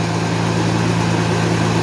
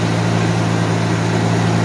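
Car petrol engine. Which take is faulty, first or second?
first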